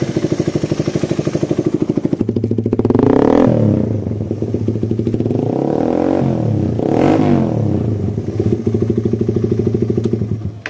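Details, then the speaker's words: Suzuki Satria FU after service, still on the stock vacuum carburettor, which earlier hesitated and lacked pull. The single cylinder putters evenly at idle, picks up cleanly on two throttle blips and drops back without hesitation; now fixed. "Digiring pun enak, langsam, digas juga lebih powerfu"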